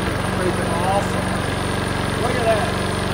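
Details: Troy-Bilt TB230 mower with 6.75 Briggs & Stratton engine, unrun for five years, after fresh gas and carb jet cleaning without removing the carb; single-cylinder putters at steady even beat, no misses or surging: runs cleanly.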